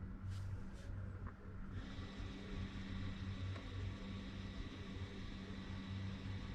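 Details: 2018 BMW X3 (G01) 2.0 turbo diesel, rear caliper electric parking brake retracted to installation position via Foxwell NT530 scan tool before pad change: faint, steady whirr for several seconds, no grinding or clicking; normal retraction.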